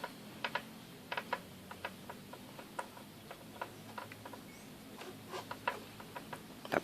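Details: Honda CG 150 motorcycle: irregular sharp plastic-metal clicks when turning the handlebars, from a broken front fender bracket shifting at its mount.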